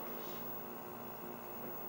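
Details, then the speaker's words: Nintendo Mario Bros arcade cabinet, 20EZ audio amp, volume near normal (~28 dB meter): faint constant low hum with light hiss, still plainly audible; mains hum, ground loop suspected but unconfirmed. "that's still pretty loud actually [Music] [Music] yeah so I can still hear it"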